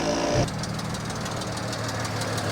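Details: Tuned E92 BMW 335i at idle: fast, light ticking over a steady idle hum that never changes rhythm; an engine tick possibly from an injector or valvetrain, a faulty injector suspected but unconfirmed.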